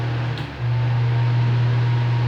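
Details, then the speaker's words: Electric fan on 220 V after run capacitor replacement, speeds 1 to 3: a smooth, steady low hum, starting with more force, with no rattle or scrape; noise gone, motor healthy. "velocidade um ó a força 3 e o barulho saiu com a troca do capacitor"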